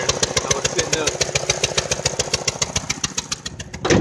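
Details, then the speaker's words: 2002 Saturn Vue 4-cylinder revved: choppy uneven pulsing about 3–4 beats a second with loud puffing tick; misfire from a blown-out spark plug suspected, EGR valve first guessed; not confirmed. "I take it back take it back spark plug fell out that's exactly what it is that's my conjecture I'll rev it up this misfiring"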